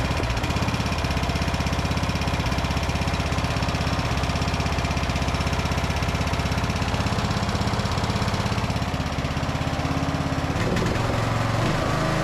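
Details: Briggs and Stratton–powered Craftsman DLT3000 riding mower, previously a no-start, first start after fuel tank flush and fresh fuel: single cylinder firing quick and steady at about two beats per second, no stumbling; running and idling properly.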